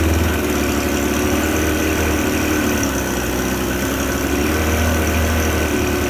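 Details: Suzuki 25 HP outboard after repair, run in a test tank: even steady drone with constant beat, no misses, knocks or rattles; normal running.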